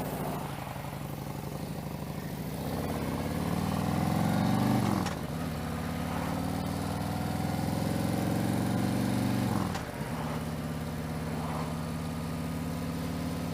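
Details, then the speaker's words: V-twin motorcycle after a high-flow air intake upgrade. Lumpy idle with a rhythmic swishing that swells with throttle blips; the owner feared metal-on-metal, but mechanic testing found it is just normal intake air noise. "sound of air with this High inflow whatever high flow intake air intake it's causing that noise and I thought it was metal onm metal but no it's just the sound of the air going swish swish swish swish swish"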